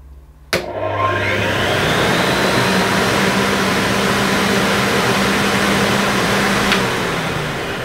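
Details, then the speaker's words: Hoover Sensotronic System 3 S3132 vacuum, bought used, first run on the lowest remote power setting: motor spins up to a steady smooth whir, a little rough on the wind-down; sounds healthy overall. "okay now it's a little bit bit rough on the wind down and of course that was just on the lowest power setting on the remote control but I think that sounds pretty good"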